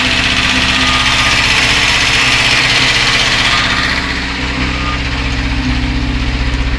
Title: Стук двигателя УЗАМ 412